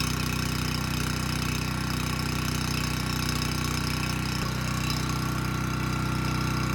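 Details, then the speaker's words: Abandoned Powermate generator on its carburetor, started first pull: steady, even drone with a fast constant firing beat and no knocks or misses; initial smoke dissipated immediately, engine speed about 62 Hz, voltage too high; normal run. "okay not too bad it started first pull and the carburetor is doing a good job running this engine so i'm not concerned about that"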